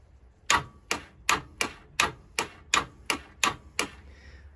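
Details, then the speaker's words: 1987 Honda Super Magna with a new battery and fuel just run into the carbs: rapid clicking without cranking; owner suspects a stuck starter, a drained battery or vapor lock, and it fired on the next press. "good the starter get stuck or we just kill the battery something just let"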